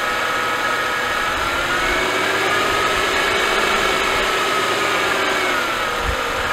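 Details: Mercedes-Benz M272/M273 V6 rattling and stumbling a few seconds into a cold start, a busy, uneven rattle attributed to low oil pressure at idle. The fix is replacing the oil pickup tube O-ring.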